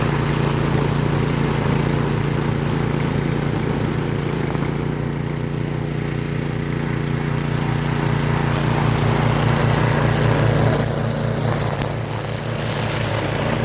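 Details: Toro 22" string mower model 58620 with 163cc Briggs & Stratton engine, lowest setting, cutting weeds about 2 inches tall: steady low single-cylinder drone holding even speed, no misses or knocks; running cleanly under load.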